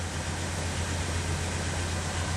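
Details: 1964 Pontiac Catalina V8 with about 29,500 miles showing, first start after winter storage since 2009, started without priming and little cranking: low, even burble at idle with a steady beat, no misses or ticks; normal idle.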